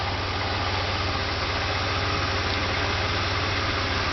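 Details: Pontiac Grand Prix GTP after a used-engine swap: steady, even idle with a smooth low pulse and no knocks or ticks; the engine sounds healthy, normal idle.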